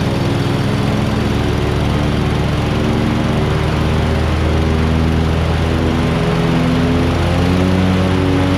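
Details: Hustler Super Z mower, Kawasaki engine with 1900 hard hours, test run after 66-inch deck rebuild with new spindles, pulleys, blades, tensioner: loud, smooth, steady engine drone, no knocking or deck grinding; normal running.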